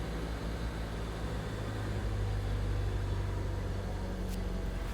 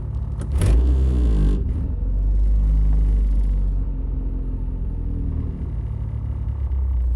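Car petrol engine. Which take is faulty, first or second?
second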